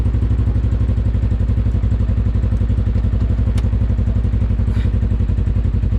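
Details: Normal idle of a 2020 Polaris RZR 1000 XP Highlifter after All Balls fuel pump replacement; even, steady low thrumming pulses about four per second, no misses or stray knocks; idles smoothly, no leaks, sounds healthy.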